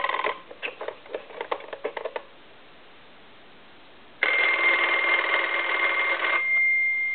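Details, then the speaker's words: German Post Office telephone after its touch-tone conversion and repair: short bright bell bursts, then a loud, steady two-second ring as the volume is turned back up; the ringer is strong, clean and normal. "I can roll that volume down and that's that's on low but you can still hear it somewhat turn it"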